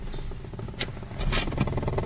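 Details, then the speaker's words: Mahindra KUV100, intermittent clattering knocks over low vehicle hum from inside the HVAC heater box under the dashboard near the handbrake; mechanic suspects evaporator and heater core (heater coil) problem, not confirmed. "हाम्रो problem end symptom चाहिँ यस्तो खालको छ। यो हाम्रो HVAC assembly भित्रबाट आइरहेछ। ठिक छ। यो एभापोरेटर एन्ड हाम्रो हिटर कोइलमा प्रब्लम हुनुपर्छ।"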